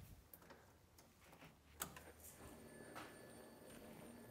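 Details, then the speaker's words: Classic Mini with turbocharged A-Series engine, before first start: faint steady high whir of the rear fuel pump priming, pressure right at 3 PSI, fuel returning, no leaks after a hose clamp was tightened; normal priming. "looking pretty good so far can hear the pump worring along in the back and we are right at 3 PSI which should be perfect"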